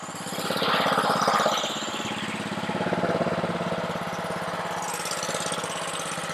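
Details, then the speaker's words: Honda-powered Ryobi 3100 PSI 2.5 GPM pressure washer that won't stay running: engine chugs fast, slightly uneven, then settles, running only on choke; carburetor issue suspected, carburetor to be serviced. "yeah so this thing oops seems to be running on with the choke so you definitely know we have a carburetor issue"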